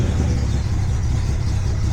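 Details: Datsun 240Z started after installing a secondary fuse box with relay and 8-gauge wiring: deep, steady rumble with an even beat and no knocks or rattles; fires up and runs without trouble, install working.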